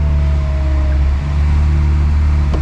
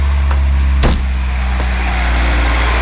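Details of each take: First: Acura Integra after power steering fluid refill and bleeding by turning the wheel: thin steady whine over a smooth idle that eases and improves as the line fills; pump purging air from the system. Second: Acura Integra four-cylinder idling after power steering work: initial slight whine as the power steering line fills and air purges, settling to a steady, smooth low hum; normal idle.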